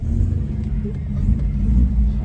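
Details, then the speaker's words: 1966 Ford Corsair Deluxe 1700 V4 on a cold day, cold start; smooth low idle that revs up cleanly while manoeuvring in a car park, fuel pump audible, no knocks or misses; normal idle and rev. "and there we are just in our top car park just taking her for a little maneuver just so you can hear that nice engine revving up"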